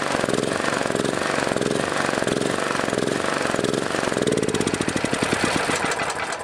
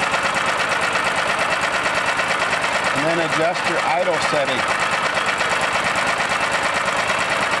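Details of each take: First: Welding generator bought new years ago, sitting about 3 years, with a battery charger attached, original carburetor: a loud single-cylinder chug whose speed wanders up and down after start; the engine surges and hunts. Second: Welding generator with a new tri-fuel swap carburetor for a Honda GX390 188F, running on gasoline, restarted after idle adjustment: a steady single-cylinder run whose speed briefly rises around 3–4 seconds, then holds an even idle; normal idle.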